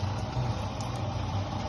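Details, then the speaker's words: Mabe Aqua washing machine drain pump: steady low hum with no water moving, not draining; broken drain pump needing replacement. "no está aventando el agua no está desaguando como se debe ya no tiene ya no funciona la bomba bien"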